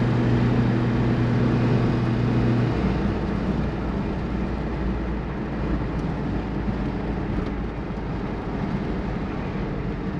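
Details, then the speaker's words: Brazilian Chevette with Solex carburetor, warm after carb cleaning: steady, even idle with unchanging low beat and no misses or knocks; ran fine on a test drive, fix not yet confirmed. "so as you can see it seemed to be working well i got it up to temperature took it for a drive and uh didn't have any problems"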